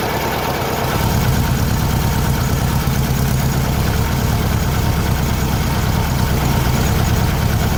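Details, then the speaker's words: 1600cc VW Beetle fitted with a remanufactured 1986 Suzuki Samurai 1.4L distributor (Spectra Premium) after retiming: loud, steady low idle with a regular beat, no stumbling or misfire; running smooth, seems to have more oomph. "there you go well she's in there it seems like it it's got a bit more oomph to it"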